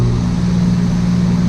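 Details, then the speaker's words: Heat pump/AC outdoor unit called via Nest thermostat by lowering temperature: contactor engages, then steady low even compressor hum with no rattles or grinding; normal compressor running. "And you will see the AC kick on, and you'll hear the compressor, I'm sure, too. So as I bring the temperature down, it should kick. There you go."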